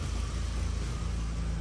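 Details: VW MK1 with a 1.8T swap, temporary clutch cable, AC not yet charged, retune likely: steady, even low rumble with no misses, knocks or ticks; the engine idles smooth, quiet and healthy.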